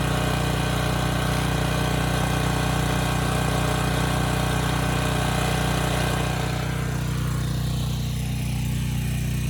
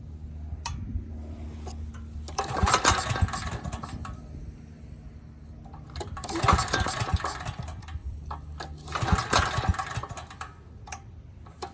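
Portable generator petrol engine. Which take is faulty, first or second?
second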